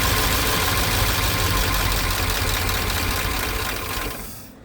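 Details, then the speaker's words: 1969 Ford F100 sitting for decades, first start after many attempts with fuel added: a rough cold idle with a light, steady tapping about four times a second. The owner suspects lifter tap from long storage. "Uh, but I got a little lifter tap. Um, which probably cuz this thing hasn't been ran in a while, but that is a good sign of life."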